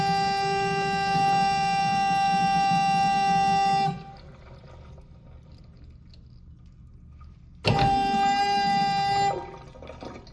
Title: Weird noise flush valve